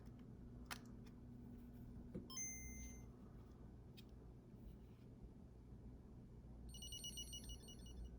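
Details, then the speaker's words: Game Boy Color after replacing the faulty speaker: thin electronic bleeps and tones come through cleanly over a quiet room hum, speaker working properly, though a faint hum remains at low volume. "Drop it in enough to get the batteries in. Oh, I hear it."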